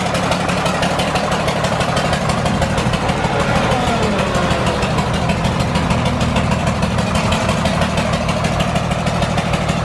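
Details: John Deere 4040 diesel tractor just revived after sitting for years: loud, steady idle clatter with an uneven, stumbling beat. It is not firing on cylinder number five.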